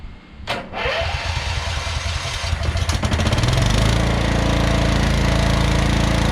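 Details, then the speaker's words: Scotts by John Deere 12.5HP 42-inch lawn tractor, unused a couple of months and failed to start previously; brief crank, catches within seconds and settles into steady even run; started right up. "today it started just like that you know what i mean mowed my yard really well"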